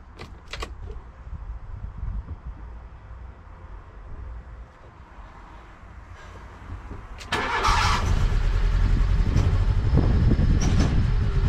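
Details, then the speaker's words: Low-mileage Mk1 Fiat Punto petrol engine starting first time after owner's work, then idling with an uneven, lumpy misfire that had recurred from the previous year. "no she's not happy she's not happy okay I think the punto's a bit mad at me at the moment but she did start first time so that's good"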